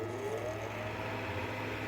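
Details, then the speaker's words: 1949 Plymouth Super Deluxe tube car radio after overhaul with a new alternator and replaced high-voltage cap: the vibrator supply buzzes steadily over a low hum and the tube filaments light, but there is no B+ at all. The owner suspects a fault after the rectifier, unconfirmed. "So that's the vibrator doing its thing. And we've got tube filaments, but I'm getting no B+. None whatsoever, so I'm not sure what in the chain is causing the breakdown, so I'm going to need to look at the schematic."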